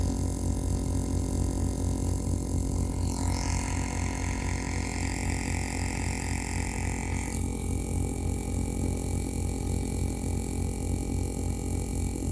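A loud, constant low buzz pulsing about four times a second through the speakers; interference noise from the audio system, cause not pinned down.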